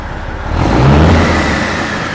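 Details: Peterbilt truck diesel after turbo failure, before intercooler cleaning or replacement: brief rev settling into steady, even low rumble, no knocking or whistle; good oil pressure, engine sounds healthy.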